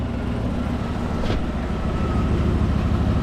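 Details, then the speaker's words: 2024 Chevrolet Silverado idling just after first start following a rollover. Steady, even low idle with no knocks, misses or ticks. No leaks, only a little puff of smoke at startup. Normal idle. "No leaks or anything, so that's good. That sounds pretty good. Just a little puff of smoke when it first fired up there."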